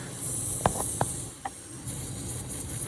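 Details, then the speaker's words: Manitowoc ice machine not making ice: constant high airy hiss of refrigerant escaping at a factory weld, found by sound and oil after giving up on the sniffer; pressure strong enough to blow it off. "right there. And pressure's so strong it's blowing it off, but it's right there. At that factory weld."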